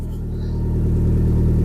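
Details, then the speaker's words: Cosworth YB turbo-engined Mk1 Ford Escort, Bosch Motorsport fuel pump, first run in 5 weeks after under-bonnet fuel leak repair: cold, steady deep idle about 1,000 rpm, constant fuel pressure, good oil pressure, no boost, no leaks. "We got a constant fuel pressure ticking over at 1,000 revs. There's no temp in the oil yet, but we got plenty of oil pressure. Not making any boost. It's just idling."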